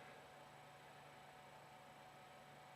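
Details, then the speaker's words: Creality CR-10 V3 control box after replacing the groaning main controller fan: a steady, soft hum with faint hiss and no groaning or rattle; the controller fan is running quietly and normally. "the print box itself definitely sounds a lot better um where it was just kind of groaning Roar um now it's very tolerable"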